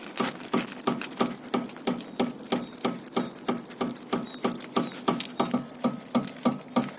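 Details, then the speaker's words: Audi A6 C5 2.4 petrol sedan: sharp metallic knocks about three times a second as the loose muffler is rocked against the body. A muffler mount has torn off the body, so the muffler hits the bumper plastic over bumps. The owner first suspected the rear shocks. "оказалось дело не в моторах а все таки в глушителе смотрите какой стук"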